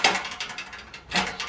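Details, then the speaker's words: Ford Fiesta Mk7.5: thin tinny rattling in quick bursts from the exhaust heat shield, come away from its bolt; fixed with a new washer and bolt. "see shield rattling on the exhaust. So I'll have a little look at that."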